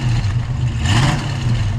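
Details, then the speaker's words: 1971 Ford Mustang convertible, 302 V8, compression 180 psi on all cylinders, under light part throttle: smooth, even low rumble rising with no stumbles or pops; normal part-throttle acceleration, though it misfires badly beyond half throttle. "But when you accelerate on this, like, listen, I mean, right there, sounds great."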